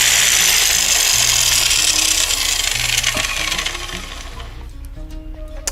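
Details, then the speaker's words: Angle grinder running very loud with a harsh hiss and heavy vibration shaking the whole tool; large play in the worn gearbox bearing. "вы видите она работает очень шумно и во время работы и и всю трясет очень большая вибрация причина вот в чем здесь имеется очень большой люфт"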